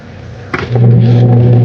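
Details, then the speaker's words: Washing machine after a DIY drive belt repair for no or slow rotation: the motor comes up to a steady, even low hum within a second with no slipping, squeal or knocking. The drum is spinning normally with good strength. "Tingnan mo guys, maganda niya ang kanyang ikot. Yan oh, may lakas na siya."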